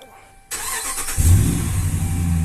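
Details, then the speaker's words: Dodge Ram that cranked but wouldn't start, no fuel pump power, after replacing faulty fuse box: short crank, catches cleanly and settles to a steady, deep idle with no stumble; normal start. "माशाल्लाह गाड़ी start हो गई है"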